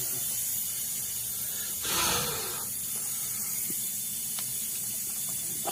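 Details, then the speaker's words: 1986 Chevrolet Camaro IROC (3rd gen, off road 15 years) during vacuum-system smoke test: sharp airy hiss over faint idle swelling briefly; air escaping from a hose hooked up at the back, vacuum hose leak. "well we're leaking air right here something back there is leaking"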